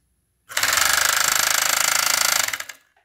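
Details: Chinese FN2 7D overlock sewing machine, owner unsure whether the tension needs adjusting: harsh, rapid machine-gun hammering locked to stitching speed, far too loud; something inside is knocking while sewing.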